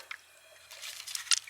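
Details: Home well water system losing pressure over hours, air in the lines: sharp wet drips and squishy spatters in quick succession over near silence as water escapes at a popped pressure relief (pop-off) valve, possibly from freezing; leak found.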